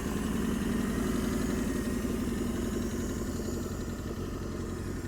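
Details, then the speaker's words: 1987 Toyota Corolla FX (AE82) 1.6 L four-cylinder, sitting since 1999, first start with blue smoke, owner suspects the fuel system is not right: a steady, quiet, even idle with no knocking. Normal idle. "There it goes. Sitting there idling. For some reason that fuel system is not right though. The motor's quiet."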